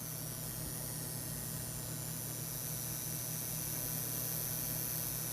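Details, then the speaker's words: USB computer speakers: steady low electrical buzz under faint hiss, with clicking buzz when the mouse moves. Ground loop noise. "this is due to problem called ground look as a result when you move your mouse around this cruel etc and an annoying clicking buzzing sound can be heard it's horribly annoying and not at all subtle"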